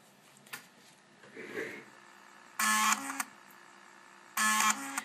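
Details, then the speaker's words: Amiga 1200 floppy drive with write problem, disk appears to format but fails: two buzzing bursts of rapid stepping seconds apart as the stepper motor returns heads to track zero, using the track-zero detector, then back to the track being formatted. "that is the sound of the stepper motor going back to track zero and then back to the track it's trying to format"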